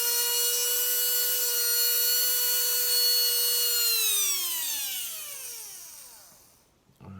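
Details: Tamiya Dynatech 01R brushed motor after strip, clean, rebuild and timing adjustment: clean high-pitched whine holds steady several seconds, then slides smoothly down as it coasts to a stop when powered off; healthy, normal running.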